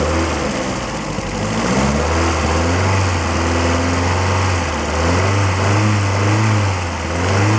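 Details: Lotus Excel, engine idling just after exhaust system rebuild and bolting up: raspy puffing chuff over the exhaust note, exhaust blowing at several joints; owner plans exhaust paste, later sealing flex joint.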